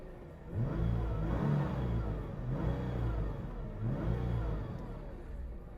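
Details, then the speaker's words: Stock one-owner 2012 Nissan GTR Premium, 3.8L V6 530hp, AWD, 6-speed, 129,500 miles, recorded from inside the cabin: deep engine note rising smoothly through pulls, no bell housing rattle or knocks; normal acceleration with stock exhaust. "so I don't have any exhaust or anything so it's not going to you know be crazy sounding um great exhaust but here's you know what the stock GTR sounds"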